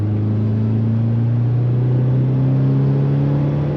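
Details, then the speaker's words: 2000 Subaru Impreza 2.5 RS on a second throttle test after new OEM spark plugs: pulls cleanly through the revs with no stutter or fuel cut. Fouled old plugs had caused shudder and misfire above 4,000 RPM. "Spark plugs worked fantastically. It doesn't stutter anymore. It doesn't start the fuel cut at higher RPMs."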